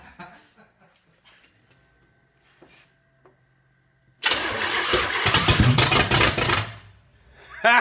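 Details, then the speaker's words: Spyder project car with an unknown timing issue. After quiet shuffling the engine catches with a rough, uneven roar for about 2.5 seconds, then dies. It starts but will not keep running; the cause is not confirmed. "we need more fuel yeah pour it in there"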